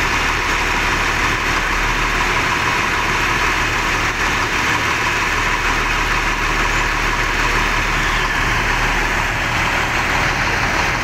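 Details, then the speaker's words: ALS bus number 378 diesel at idle with an uneven, lumpy, limping (pincang) beat; crew suspect mixed or dirty diesel fuel, not confirmed. "ini memang suaranya agak tersendat-sendat ya teman-teman ya tuh ini ya denger suaranya agak pincang"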